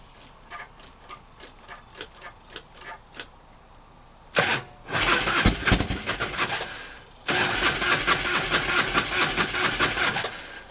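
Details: 1997 Harley-Davidson Fatboy Evo, 70,000 miles, sat a month, Mikuni carb: short cranking bursts keep quitting without catching because the fuel bowl was dry; the accelerator pump may be sticky, and the engine was possibly flooded.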